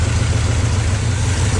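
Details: 1972 GMC ramp truck, 454 Chevy big-block revived after 27 years, fuel pump reconnected: deep, even V8 idle, no ticking or knocking; oil pressure pegged, idling cleanly.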